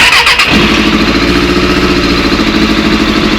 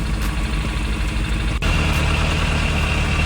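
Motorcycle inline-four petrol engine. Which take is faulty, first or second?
first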